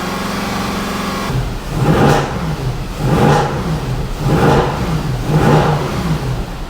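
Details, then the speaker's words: Mercedes W204 C63 AMG M156 V8 after cylinder head/camshaft-wear rebuild, warm at full operating temperature: smooth idle then four clean throttle blips to about 3,000 rpm, no tapping or stumble; healthy revving. "and for anyone saying don't do that that was 3,000 RPM"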